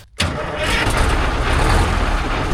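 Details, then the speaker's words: 1972 Diamond REO C116 truck, Detroit 8V71 two-stroke diesel, sat since about 2006, restarted after its flapper was reset: it lights off at once and settles into a dense, smooth idle with no knocks or misses. "What a smooth engine this is."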